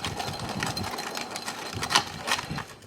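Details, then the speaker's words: 2005 Toyota Highlander FWD rear wheel bearing turned by hand after removal: stiff, gritty scraping roughness in uneven bursts; bearing worn and barely turns, compromised by rust from water sitting in the hub cavity; ABS sensor broke off during removal. "that's what made the bearing I can barely turn it now there it is you could hear it"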